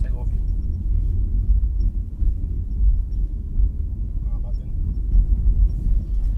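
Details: 2018-2019 Nissan Kicks after replacing front control arms and bump stops, test drive over potholes with microphone on floor: only low road rumble, no knocks or clunks; front suspension noise resolved.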